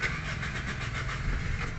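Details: 2014 Toyota Vios, manual, cranking with the clutch pressed. Steady starter churn that never fires: a crank-no-start, traced to a failed fuel pump.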